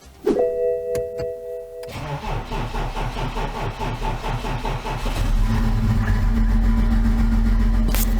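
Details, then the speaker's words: 2011 BMW X5 M57 diesel, over 450,000 km, running on five cylinders, fuel filter just changed: starter cranks, engine catches and idles with a faint uneven stumble, smoothing slightly (owner suspects air after filter change); slight misfire. "it seems like it's smoothing out a little bit so maybe it's just a matter of air after the fuel filter was changed so I'll put the mic near the exhaust and then near the intake or engine a little bit of a Miss sort of"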